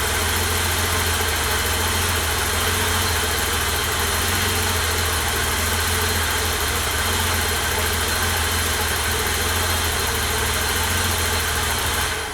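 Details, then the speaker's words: 1988 BMW E32 735iL, M30 B35 inline-six freshly rebuilt (original block 395k), first start after priming fuel pump: even, steady idle with no knocks, ticks or misses; healthy, owner quite happy. "I have to say I'm quite happy with that."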